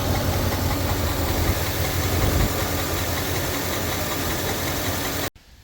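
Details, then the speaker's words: A 2009 GMC Sierra idling makes a rough, uneven growl from the belt drive. The cause is a worn tensioner/idler pulley bearing, later replaced. "when I run the engine when I start it up you can hear a noise that should not be there"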